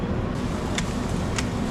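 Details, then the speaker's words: Dosatron fertilizer injector pump on a greenhouse fertigation line, hose running and drawing blue fertilizer from tank: sharp single clicks about every 0.6 s over steady water rush, the piston cycling normally, pulling nutrient up as it should. "everything is clicking right along that's the sound it's supposed to make right there you can feel it in the line that it's working pulling that nutrient up"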